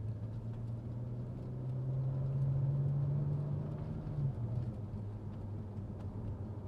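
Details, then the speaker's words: BMW 335i N54 after MFactory 1.5-way LSD rear differential upgrade, driving about 50 km/h: steady low road and drivetrain rumble with no whine, hum or clunk; diff quiet. "Cannot hear the diff, it's quiet. That was about 50 kilometers an hour."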